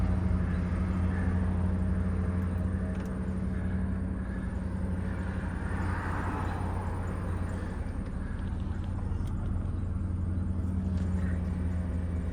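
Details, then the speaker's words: 1998 Lincoln Mark VIII, always run on Mobil 1, stone-cold start: deep, even hum at steady speed with no ticks, timing chain slap, knocks or rattles; cold engine idling cleanly. "stone cold startup should fire it up no time change slap no knocks"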